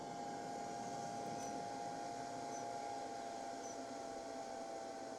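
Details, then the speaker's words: Anker SOLIX C1000 Gen 1 power station running air fryer and kettle at about 2,047 W, near its 2,400 W peak: loud, steady jet-like whirring with constant mid-pitched tone; cooling fan flat out under heavy load. "There's a lot of whirring. I don't know if you can hear that."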